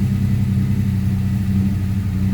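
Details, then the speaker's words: Turbo V6 Mustang with years of stalling and a check engine light, started just after an oxygen sensor replacement and keep-alive memory reset: a deep, uneven, lumpy idle that never settles; the air/fuel ratio is erratic at idle, cause not yet found. "here you can see my air/fuel ratio it's kind of a mass at idle so it doesn't seem like it's helping much here"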